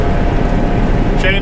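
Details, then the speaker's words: Harvest combine back in the field after the broken header chains were repaired. A steady, deep, even drone with no knocks, slaps or rattles: normal running. "now that we're all the way back out in the field let's fire it up and make sure everything's running"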